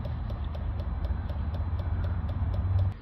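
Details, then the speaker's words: Citroën Jumper 2.0 diesel (AdBlue, no vaporizer) after DPF cleaning and EOLYS additive refill, codes cleared: light, even ticks about three a second from the additive tank over a low hum. The additive pump is priming normally. "you get a ticking noise there coming from the EOLYS tank. That's priming it up now."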